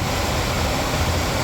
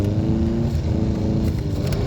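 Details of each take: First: 1996 Impala SS heater/AC blower motor, new replacement (PM131) bench-tested on its harness before mounting: steady, even whoosh of air with a low hum, no ticking, rubbing or wobble on middle speed; normal blower operation. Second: 1996 Impala SS heater/AC blower motor that stopped working: low, uneven whirring hum surging and sagging, can't hold speed; connection is good, owner suspects the internal windings; failing blower motor, being replaced.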